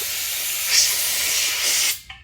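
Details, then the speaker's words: Puma 60-gallon 5 hp air compressor at startup: loud steady high-pitched hiss of escaping air that cuts off sharply when the tank bottom drain valve, left open after draining, is closed. "Hang on. We gotta close the valve on the bottom."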